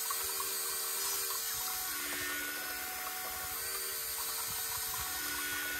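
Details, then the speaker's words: New electric lift pump on a construction machine diesel, priming the filters: steady high whirr with a faint fluttering hiss of moving fuel, flow noticeably stronger than before; electric lift pump running. "right so we're going to fill the filters up now I've got my vice grips on there a going to help right see that filter is filling up can already tell that's a lot stronger floor"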